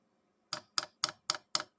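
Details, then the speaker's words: Vevor diesel heater after swapping to a quieter click-type fuel dosing pump, cover on for equal comparison, at start-up; crisp evenly spaced ticks about four per second, perhaps quieter, more bubbles seen, normal dosing pump ticking. "Ah. Maybe it's more silent. But you can see it's more bubbles here."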